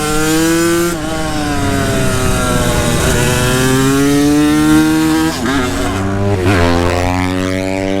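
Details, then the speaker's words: Brand-new 125cc two-stroke supermoto on a track day, held in the power band on the straight: high two-stroke note climbs then suddenly breaks up ragged as the engine seizes; rider unsure he used two-stroke fuel, cause unconfirmed. "it was ripping though just on the straight right there it just kind of seized really quick"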